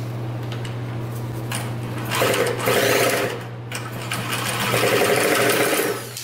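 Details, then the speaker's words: 2000 Cobra 50cc two-stroke racing mini dirt bike spun over with a drill: steady whir with faint compression chuffs, never fires; cranks but won't start. Owner suspects the bad-looking air filter and plans to pour fuel down the carburetor. "all right yeah it didn't start up but I'm guessing that this air filter is not the greatest it looks pretty bad"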